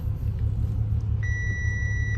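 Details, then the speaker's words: 2010 Audi A6 C7 3.0 supercharged V6 before repair, with codes P0300, P0304 and P0305; heavy, lumpy rumble with stumbling beats under light load, strong vibration, engine, EPC and traction lights and a chime, from a multi-cylinder misfire. "so I don't know if you can tell but it's vibrating a lot engine lights on"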